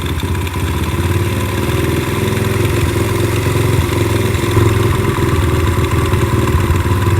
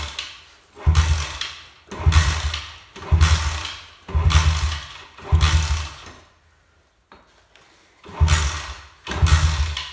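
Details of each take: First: Four-stroke carbureted pit bike that bogged and only ran on choke, after carb work: small single thumps at a steady idle rising slightly as the idle screw is turned up; even, healthy idle. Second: Friend's 4-stroke pit bike that only ran on choke, after carb adjustment; short low firing bursts about once a second that die straight away and never settle into idle, meaning the idle screw is set too low.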